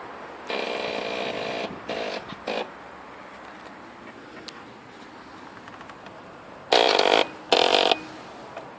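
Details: Pulse Adrenaline 125 motorcycle; several short bursts of starter whirring, each under a second, with no catch or firing between them; engine cranks but won't start.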